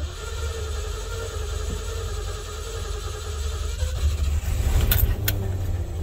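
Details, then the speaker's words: Ford Bronco carburetor with both idle mixture screws at one and a half turns and the choke partly back on: a lumpy, uneven low idle with a loping beat and no crisp firing, running really rich. "now she's running really rich and the choke's back on a little bit"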